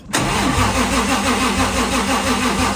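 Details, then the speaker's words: 1JZ-GTE VVTi in a Foxbody with newly fitted Pulsar G30 660 turbo kit, just started cold: rough uneven knocking about three per second, which the owner attributes to piston slap that is worst when cold; not investigated. "oh dude you hear the [ __ ] piston slap when it's cold it knocks so bad when it's cold which is kind of a weird thing"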